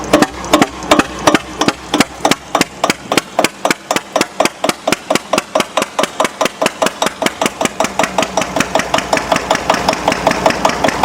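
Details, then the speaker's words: Antique Witte single-cylinder diesel generator, cold start with propane torch preheat and compression release, no load; slow loud chuffing that steadies into an even rhythm of about two and a half beats a second as governor slows it: normal start and idle. "It sounds like a train, and then all of a sudden it quiets down once it starts running. Exactly. Once the governor slows it down."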